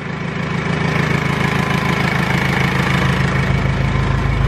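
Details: R2.8 Cummins diesel swapped into a 1997 Jeep Wrangler, first start-up with gauges not hooked up; smooth regular low diesel idle pulsing about three beats a second, no knock or stumble, healthy and quiet.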